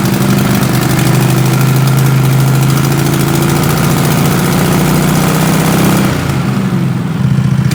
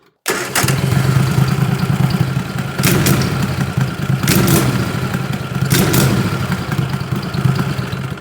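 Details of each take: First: 20 HP Tecumseh twin-cylinder racing mower engine with dual 34mm PVK carbs, needle at middle position three, warmed up: an even, steady idle with no misses or surging. Runs smooth at 1,700 RPM. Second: 20 HP Tecumseh twin-cylinder racing mower engine with dual 34mm PVK carbs, throttle snap from zero to 3/4 throttle: steady low run, then sharp blips that bog briefly before picking up. It definitely hesitates; cause not confirmed.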